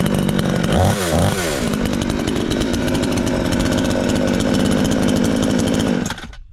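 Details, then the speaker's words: Chinese counterfeit "Stihl MS 461" chainsaw, newly assembled, after adjusting it with the bolt: quick rev blip, then steady, even high buzz with no misses or rattles before cutting off; runs smoothly and healthy. "a cool saw works, so everything is fine, as you told me, yes, I adjusted it here with that bolt, everything turned out well"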